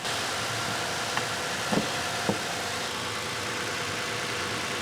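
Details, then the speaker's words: Toyota Tacoma after repairing mouse-chewed wiring harness, no check engine light; quiet steady idle with even hum, only nearby clicks, no misses; normal idle. "Everything looks good. Sounds good."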